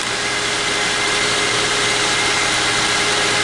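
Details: 2006 Lincoln Zephyr, earlier no crank no start with clicking and anti-theft light, fixed by sanding the battery post and cable connection to about 14 volts; now starts and idles steadily and evenly with smooth hiss, no misses or knocks.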